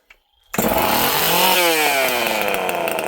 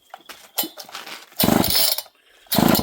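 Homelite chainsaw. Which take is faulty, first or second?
second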